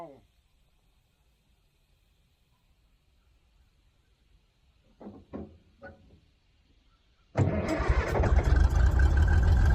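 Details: Old Caterpillar D6 dozer diesel restarting on its own after some blading, once the fuel problem was fixed: catches at once and settles into a strong, even clatter with no stumbling; normal start and idle.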